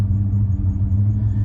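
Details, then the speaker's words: Engine idling right after exhaust manifold and crossover reinstalled, warming up: low idle rumble wavers and stumbles unevenly, running rougher as it warms and dipping when throttle is applied; owner unsure why, perhaps because it hasn't run much. "she's running a little bit rougher it's starting to warm up it's running a little rougher"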